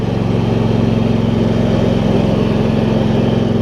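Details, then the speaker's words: Husqvarna YTH2348 riding mower, now 647 hours, after air filter replacement: steady, even single-cylinder beat with no misses or surging; runs smooth and healthy. "Running really good after I replaced the air filter and added 47 hours to the clock."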